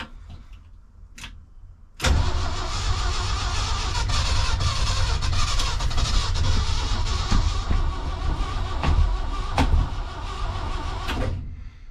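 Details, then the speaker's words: 1976 crew cab truck after fuel poured into the carb: starter spins at even, healthy cranking rhythm about nine seconds but never catches; cranks but no start, cause unknown, owner thinks cranking amps sufficient. "All right, well, that was a little dramatic. See if I have any more ideas, but it's not looking good for today, guys."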